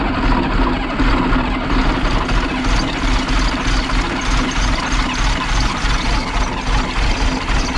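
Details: Project 114 diesel restarting after sitting a day: heavy idle with an uneven, lumpy beat under steady clatter, one cylinder seemingly weak; misfire at idle, possibly an air leak starving a cylinder, unconfirmed.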